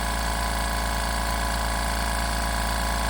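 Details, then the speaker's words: New California Air Tools 4710SQ Quiet Flow compressor filling tank from empty to nearly 120 PSI: even low hum, smooth piston pulse about three per second, very low vibration, no knocks or rattles; normal compressor running. "s got very low vibration, super quiet. You could use this in the house when you're doing baseboards."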